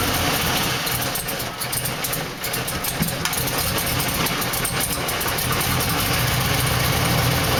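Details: 2000 Silverado 5.3 V8, 198,000 miles, first cold start of the day at about 60°F: rough, lumpy idle with irregular misses, clearing after brief warm-up; new fuel filter, plugs, wires, PCV, clean throttle body; owner blames bad fuel pump.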